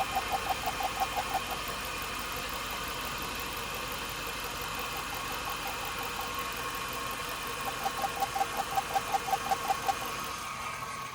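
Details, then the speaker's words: 2002 Chevrolet Suburban 5.3 LM7 V8 at idle: sharp light ticking two to three a second, probe moved between good and bad rockers; rocker and pushrod ruled out, owner 99% sure of a failed lifter. "so I'm 99% sure that we have a fail lifter which is very very common on these engines"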